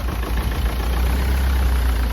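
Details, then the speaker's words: Ford Transit diesel losing coolant fast, with white smoke, idling rough with a lumpy, uneven low rumble. A failed head gasket is suspected and being tested for exhaust gases in the coolant; a cracked head or block is also possible. "heard there it's running a bit rough, and what will happen, we can accelerate the process if we squeeze one of the pipes."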